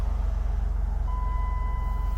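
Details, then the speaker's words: Dodge Caravan, about 212,000 km (125,000 miles), idling smoothly, then a steady chime partway through from the door-ajar and unbuckled seat-belt warning. Normal warning chime. "runs nice doesn't it the door jar signal and the non-seat belt is on of course i haven't got my seat belt on"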